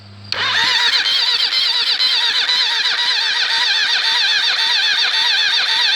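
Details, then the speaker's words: Cold engine with low compression and cams swapped in from a blown motor, cranked with plugs in after a starter change: the starter whirs and labors, pitch sagging as it turns over slowly without firing; owner suspects con-rod bearings, cams or starter clutch. "if this still turns over hard it's either cuz then cams or the connecting rod bearings are going"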